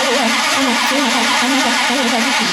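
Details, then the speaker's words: Fake 1969 Dodge Charger Daytona carburetted V8, choke on: starter cranks in a steady wavering rhythm about two pulses a second without catching; engine flooded, fuel smell noted. "you flooded it just a little just a little flood you flooded it I can smell it from here too"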